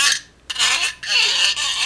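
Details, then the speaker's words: 2003 Hyundai Santa Fe front brake pad worn to about 1–2 mm, removed from the car: bursts of thin, scratchy metallic squeaking as the inner pad's wear-indicator squealer tab is flicked by hand, meant to warn of worn pads. "Makes that little weird noise. Well, it it ends up sounding like a squeak like that. That's pretty annoying. It's meant to get your attention and let you know, hey, your brake pads are worn out."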